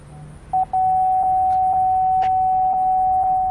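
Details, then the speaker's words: 2012 Buick Enclave aftermarket rear view backup camera system, walking up behind the car: two short chirps then a steady mid-pitched tone, proximity warning beeping normally on the monitor screen. "as you can see here I'm directly behind the car you can see the grid lines as I walk closer you're going to hear the beeping on the screen"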